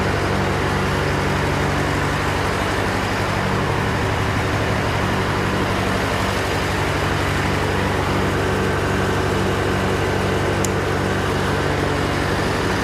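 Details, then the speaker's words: John Deere 401C diesel with cracked block, idling: uneven lumpy beat about four pulses a second, one cylinder missing; temperature check shows number three cold while others hot, confirming an injector problem. "yeah there's there's nobody home on three Four's hot and the other two are definitely hot so I think that kind of seals it that that was an injector problem"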